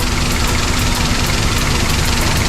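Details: Daihatsu Sirion with the check engine light on: low, uneven idle with irregular stumbles and pops, a misfire; the scanner found no error, ECM or wiring is suspected, and the cause is not confirmed.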